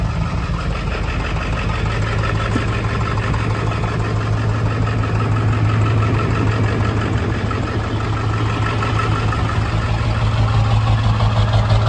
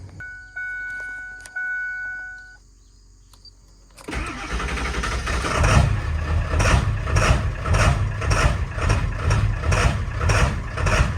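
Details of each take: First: Ford 7.3L Powerstroke diesel idling after swapping a bad new ICP sensor; steady even clatter about three beats a second, no cackle, shudder or truck shaking, pretty smooth; injectors a touch lazy. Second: Ford 7.3L Powerstroke diesel with cold/hard start issue: slow crank catches, then lumpy idle with about two irregular stumbles a second, cackling and shuddering; unplugging the new Motorcraft ICP sensor changed nothing on the scan tool, and it proved faulty.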